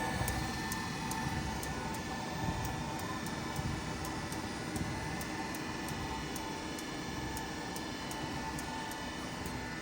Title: Treadmill Making Clicking Noise